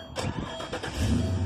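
A few quick cranking bursts, then the engine catches and settles into a steady low idle.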